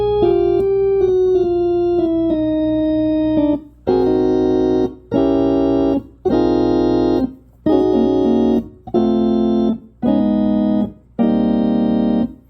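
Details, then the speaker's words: Hammond A105 organ after three bad tubes were replaced (a 12AX7 and two 12BQ5s): it sounds better, but the chords ring over a constant low undertone hum. The undertone is still unwanted and its cause is unconfirmed. "like it's always a undertone there all right so I got to take care of that"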